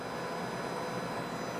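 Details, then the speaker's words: Connex 3300HP CB radio before repair and tuning, fed an audio-generator test tone: harsh buzzy whine from badly overmodulated, flat-top-clipped transmit audio. "okay she's totally blown out flat top clipping the whole deal probably hear it"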